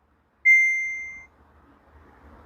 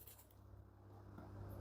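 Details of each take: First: Samsung top-load washer after repair of the defective main control PCB, which had made the drain pump run non-stop: two short high panel beeps, the second rising slightly, with faint motor hum between, normal tones while selecting an 8-minute spin cycle. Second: Samsung top-load washer: drain pump starts the moment power is switched on and hums steadily without stopping; control board feeding power directly to pump, main control board found defective and repaired.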